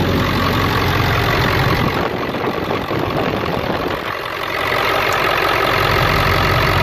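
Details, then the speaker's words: Diesel idling at startup after fitting CNC Fab high-pressure oil crossover lines: steady idle with a light, even clatter at a regular beat and nothing harsh; the idle is about the same as before, but the knocking noise is not as loud. "all right so I don't know about y'all but as far as startup I see about the same idol I can't tell a slight difference it's not as loud like as far as what people call the knocking noise"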